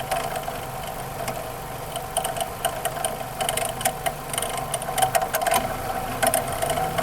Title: Loud screeching sound on 04 Mazda 6 2.3